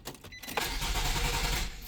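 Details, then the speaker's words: 2009 Nissan Sentra with intermittent no-crank, ignition relay pulled for testing: starter spins the engine briskly for about a second but it never fires; crank no start with ignition relay removed, owner believes starter relay is the real fault. "Okay. So, that allows it to crank, but it doesn't allow it to to fire up."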